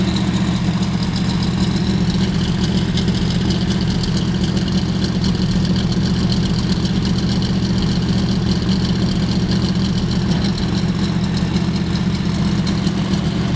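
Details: 1970 Dodge Challenger T/A 340 V8, just started after nine years in storage, not yet warmed up: deep steady idle rumble with no lifter clatter or ticking.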